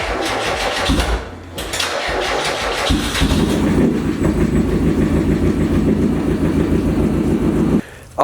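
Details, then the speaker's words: 1990 Mazda Miata racecar, first start after a swap to a new engine, done in under 12 hours; brief crank, catches, settles to a steady even idle, no knocks or misses. "the car is running guys that was pretty good for our first engine swap"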